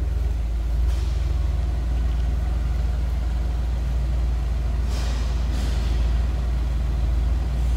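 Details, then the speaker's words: 1963 Ford Galaxie 500 convertible with a 289 V8 and Cruise-O-Matic automatic: deep, even V8 rumble with a steady beat and no misses or ticks, healthy and not overly loud exhaust, smooth running with nice throttle response; normal running. "nice sounding 289 smooth running too nice throttle response"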